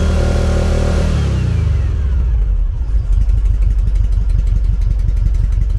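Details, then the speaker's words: 1974 VW Beetle with Weber IDF carburetors, number three plug lead pulled with no change: rev drops into an uneven, lumpy low thump with skipped beats; misfire on cylinder three from a blocked idle jet. "start number three cylinder no difference see so that's our cylinder"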